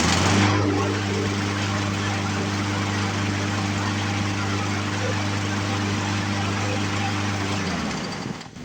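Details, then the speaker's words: Poulan Pro push mower, Briggs & Stratton 550EX engine, after carburetor cleaning: restarts without primer, steady even chug at fast idle then shut off; carburetor issues fixed. "Okay, so safe to say that we have fixed our carburetor issues that we were having."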